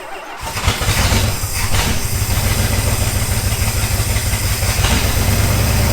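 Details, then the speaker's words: 1977 Dodge Monaco 360 V8 parked since 1989, fired up after working on both stuck valves with hammers and pry bars; rough, lumpy running under revs. Compression test poor, stuck valve; possible vacuum leak suspected. "Both the valves. Hit them with some hammers, pried on them with some pry bars. Did a compression test, and it's not good."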